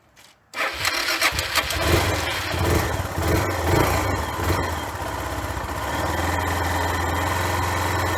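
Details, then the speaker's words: 25-year-old motorcycle with only 6075 km, carburetor previously half clogged and cleaned, catches after a short crank and settles into a steady even idle with no misses or knocks; runs perfectly. "You can see and hear that the engine runs perfectly, and there's nothing wrong with the whole machine, as they say in German."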